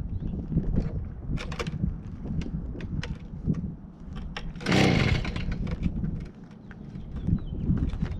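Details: Stihl BG55 handheld leaf blower two-stroke, first start after fitting an aftermarket carburetor, primed and on choke: fires and keeps running with uneven buzzing note and throttle blips; normal running after repair, idle later needs adjusting.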